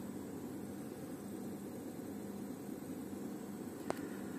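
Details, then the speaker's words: Tape recorder motor shown turning correctly; quiet, even hum with a faint steady tone, no catches or speed wobble, running smoothly. "so it's very smooth it runs very smooth"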